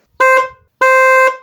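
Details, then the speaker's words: Opel Astra G horn after repair with its four screws refitted: two short clean honks of steady mid-pitched tone with no rasp; the typical Astra G horn sound, showing the repair succeeded. "görmüş olduğunuz gibi çıkan ses neredeyse bütün Astra g'den çıkan konu sesidir Bu da aslında yapmış olduğumuz iş başarılı olduğunu göstermektedir"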